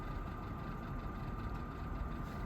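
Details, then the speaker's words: 2024 Mazda CX-90 at idle on a cold start in extreme winter cold, HVAC off: low steady idle with a faint, fast metallic rattle from the engine, audible with the door closed; source unclear, possibly the cold. "There's a bit of a rattle coming from the engine. I could hear it even with the door closed."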